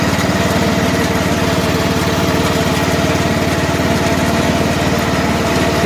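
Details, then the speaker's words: About 2010 John Deere LA105 lawn tractor, 19.5 hp Briggs & Stratton, started with choke and run without an air filter, in second gear: steady, even putter at constant speed with no misses or knocks; runs smoothly. "First time I'll hear the belt or the blades go. Second gear. Running nicely."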